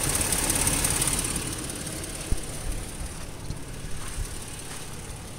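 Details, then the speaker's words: 2010 Toyota Tacoma with 17,000 miles, idling on an off-road trail: a busy idle with a quick, light sewing-machine clatter over the engine hum; the owner is unsure whether this is normal, and the source of the ticking is unclear. "Hey, this engine sure is noisy. Is it supposed to be that noisy? Sounds like a sewing machine."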